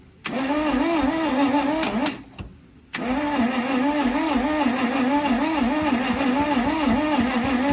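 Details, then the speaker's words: Junkyard Dodge Cummins project truck, long sitting: steady starter cranking with an even chug around three compression strokes a second that never catches; a spark check suggests no spark. "We're going to go for it. It cranks. Yeah, it does."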